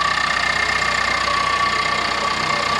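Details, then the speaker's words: 2022 Ford Explorer Timberline, 2.3L EcoBoost, just fitted with a Whipple upgrade, heard with the hood open: fast, even ticking at about four per second over a steady idle. It comes from the GDI high-pressure fuel pump, which is loud but normal. "It's right back there, isn't it? Yeah. Yep. They're clicking. They're just loud."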